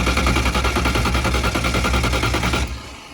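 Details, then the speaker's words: Methanol car being switched to gasoline for winter storage, methanol still in the lines, startup enrichment and accelerator pump turned way down: cranked on brake cleaner with a little throttle, it makes loud uneven popping and banging, then dies; rough start on starting fluid. "i need to give a little bit of gas though get the brake cleaning in there"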